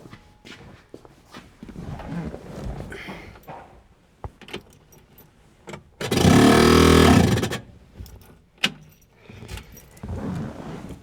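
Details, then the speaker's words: 1968 Ford Mustang convertible, newly installed heater blower motor on first test: a short roar with a rough scraping edge. Owner suspects the squirrel cage is hitting something; unconfirmed. "That indicates to me the squirrel cage is hitting against something itself, maybe even. Uh, regardless, h that really stinks. We're going to have to figure that out why it's spinning in such a manner."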